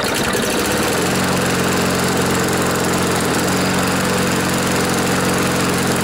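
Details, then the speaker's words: Briggs & Stratton lawnmower engine on a test start after replacing a sheared flywheel key and a bent blade from hitting something hard; it sat in rain overnight and may have water in it. It settles into a steady, even single-cylinder beat: an improvement, running smoothly. "folks well that's an improvement it's been out in the rain all night there might be some water in there"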